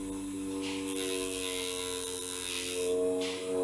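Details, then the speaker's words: 6V DC motor switched by an NPN transistor from an Arduino, getting only about 4.4 V; steady, even mid-pitched whirr at modest speed. It runs slower than on a direct 5 V supply because of the transistor's voltage drop. "if you now directly plug it to 5 volts it's a little bit more power if i put the cable in here here it's turning faster why is that because a dc motor is turning faster if it has available 5 volts okay the more volts it has available the faster it will turn and with the transistor we only have 4. around 4.4 volts avail"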